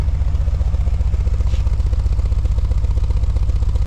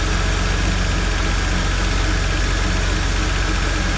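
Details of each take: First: Holden VP with a GM3800 V6 has a lumpy, loping idle with uneven chuffs as a cylinder drops out. Misfire from a failed coil pack on the DFI ignition module, the third coil failure in about 3–4 months. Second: GM 3800 V6 (Holden Commodore VP) after replacing DFI ignition module and coils: smooth, even low idle with steady beat for about seven seconds, then shuts off; normal healthy idle.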